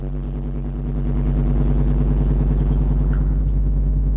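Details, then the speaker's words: Chevy Tahoe V8 cold start with coolant temp at 38: deep, loud burble settles into a fast, even idle with a raw exhaust note; typical high cold idle, nothing wrong. "How are we doing here? Idling pretty high. That's loud. Like, look at the coolant. There's a coolant temp sensor is at 38. So, like, it's cold, guys."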